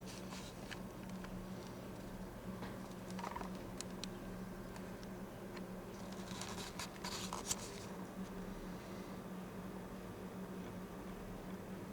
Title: Fujitsu ASYA-12LGC making strange noise